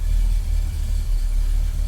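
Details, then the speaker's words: 1965 Ford Galaxie hardtop with headers, exhaust leaks fixed and new transmission, started dead cold: deep, even V8 idle rumble with a slightly tinny header edge and no leaks, a normal header exhaust tone. A whistle from the motor persists. "Does sound good. Well, it sounds like it did before without exhaust leaks."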